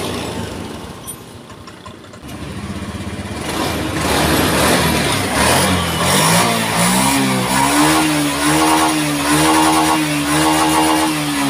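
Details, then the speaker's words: Honda Scoopy scooter after a fuel pump pressure check (pressure now near 50): brief rough turnover, then it starts easily and revs cleanly with smooth throttle response; normal revving after repair. "Oke, kita starter. Ah, hidupnya sudah ringan guys. Ah, gasnya udah enak."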